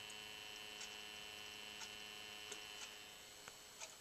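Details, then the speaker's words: Comgrow filament dryer after replacing its noisy 40x40x10 12V DC fan with a 24V fan to run at half speed: very faint steady whir with thin high tone, no rattle; quiet, healthy fan. "this is how much noise it makes after replacing the 12 volt fan with a 24 volt fan so it'll run at half speed so it did turn on I can barely hear it"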